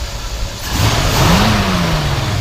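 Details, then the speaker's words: 1964 Buick Electra V8, not rebuilt, blipped again. Pitch climbs smoothly, holds, then eases back down with no knocks or rattles; sounds good with lots of torque, healthy revving. "sounds good. Has a lot of torque."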